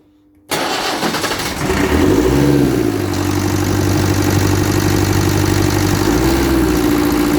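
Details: Land Rover Series 3 diesel, first start after solenoid fix, with injector pipe loosened: brief crank, catches, revs up then settles to steady even clatter; runs, though spill pipes leak and glow plugs appear not to work.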